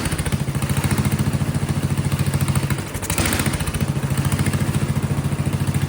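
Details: Vintage Kohler generator, big flathead single, gravity-fed carburetor: thumps about three beats a second, slightly uneven with a brief sag near three seconds. Running rough; owner suspects low fuel pressure or a loose condenser; seems to want choke.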